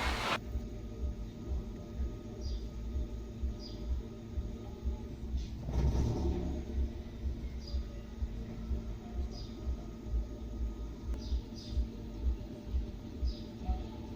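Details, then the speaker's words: Petrol engine idling with a low, uneven throb surging about twice a second instead of holding steady; rough idle the owner attributes to spark plugs last changed roughly 20,000–25,000 km ago, with new Bosch double-electrode plugs bought to replace them. "Evet arkadaşlar aracın rolantisini gördünüz rolenti de durmuyor çok Azcık bir sıkıntı var bunun sebebi ise bujiden kaynaklı"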